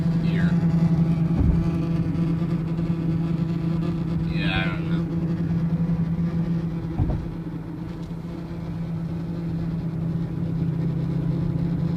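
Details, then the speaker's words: 2004 Range Rover with 68k miles while driving: steady low buzz under road noise that grows as speed increases. "It increases as I speed up. Hear that? Very weird."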